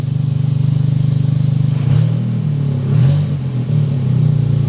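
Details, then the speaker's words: Freshly built Toyota GR Corolla with aggressive cams, running the wrong tune: lumpy idle with uneven pulse and dips when blipped; slight occasional misfire expected from cams and mismatched tune, far less than before. "but I mean, it misfired a little bit, but it's got the cams and everything else in here, so that's to be expected, but it's not misfiring like it was before."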